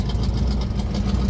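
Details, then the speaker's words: Carbureted engine just after cold start, choke previously misadjusted fully shut, now corrected; deep, steady, even idle with no misses or knocks before warming up; healthy engine. "Just listen to that thing. It's beautiful. Well, we'll sit here for just a second, let this thing warm up, and then we'll get it moved on into the garage."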